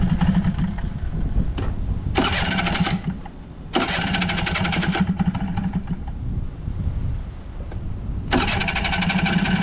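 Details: Vintage Honda Squash 12V moped (AB11-1055) starts cleanly and settles into an even idle with a few crisp throttle blips. Quiet engine with no abnormal noises, knocks or rattles: healthy.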